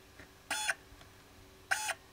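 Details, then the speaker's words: Stepper motor for an IBM PS/2 hard drive head fix, driven by an uploaded sketch with the power supply limited to about 100 mA. Two short buzzy chirps about a second apart, quiet when idle. Normal stepper operation. "it's working I think I've set the limiter so my power supply doesn't ever show anything more than a hundred milliamps which I think it's more or less okay for this for the stepper motor"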